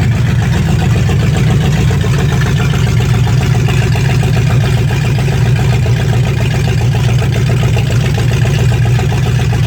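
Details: 1965 Mustang fastback, 289 V8 with Tri-Y headers, first start after sitting 44 years, freezing cold day: deep, even V8 rumble with a steady beat and no knocks or misses. Normal idle; only a dripping carburetor needing a rebuild.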